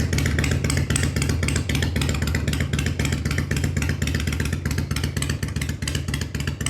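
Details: 1993 Harley-Davidson FXDWG Evo V-twin after carb rebuild and adjustment, before a road test: even loping idle about four beats a second, steady low rumble, no clatter or misfires; sounds healthy.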